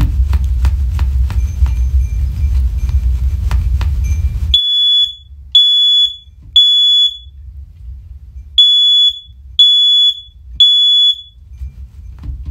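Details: First Alert OneLink hardwired smoke alarm, the grandmother's former cellar unit, on test: loud high-pitched beeps in groups of three with a pause between groups, repeating cleanly; sounds properly.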